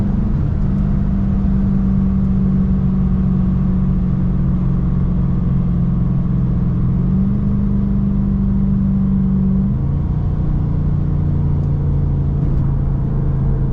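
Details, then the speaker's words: Chrysler 300 after swapping in a 3.09 Mopar limited-slip differential, highway cruising: faint steady low drivetrain whine under road rumble that holds pitch and steps with speed; owner unsure if audible. "let me know in the comments if y'all can hear that noise that I'm hearing it's like a slight whine"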